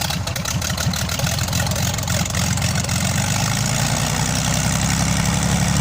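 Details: Lom-Praha M337-AK six-cylinder on its first run after overhaul: a low, slightly lumpy but steady idle that settles and runs evenly after start-up with no knocks, a normal idle.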